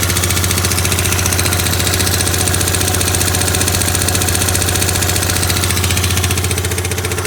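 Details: Yamaha Grand Majesty SG15 scooter, 30,000 km, oil changed every 2,000 km: a fast ticking knock of about four per second over a firm single-cylinder idle, appeared suddenly. Owner hopes for an AIS pipe exhaust leak but fears the crank or head area.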